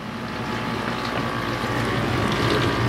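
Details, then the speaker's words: Kenmore Ultra Wash dishwasher, about 2006–2008, during wash; loud churning rumble pulsing about four times a second; owner suspects something hard like glass, plastic or a pit caught in the food grinding wheel. "it does sound like there's something caught in it I think it's the grinding wheel that's used to grind up food and there's something caught in there that's hard like a piece of glass a piece of plastic or maybe an olive pit or a lemon pit or something"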